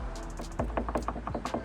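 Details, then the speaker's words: BMW E93 M3 convertible hard top, roof closed: quick hollow plastic-and-metal clacks as a loose locking pin knocks in its tube above the headliner, mid-roof. It occurs on rough roads and develops with higher mileage. "So that noise is what I was hearing when I would drive on rough roads like that."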